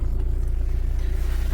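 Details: Audi A6 C6 TDI diesel idling after a crank-no-start fix: water found at the ECU location, relays replaced, blown fuses replaced. Deep, even thrum with steady, regular pulses and no knocks or stumbles; normal diesel idle.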